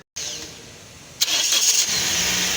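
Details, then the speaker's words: Toyota Corolla 2023, starting problem: the starter motor spins with a high thin free whir but does not turn or crank the engine, pointing to a fault inside the starter, which is then removed and opened. "ये देखें जी, ये इसके अंदर आवाज़ आ रही है जैसे इसका जो इंजन है वो क्रैंक जो घूम नहीं रहा, लेकिन जो इसका जो स्टार्टर है वो इसके अंदर जो है कोई ना कोई अब नॉर्मेलिटी है, जिसकी वजह से इसका जो इंजन है वो क्रैंक नहीं कर रहा है, घूम नहीं रहा।"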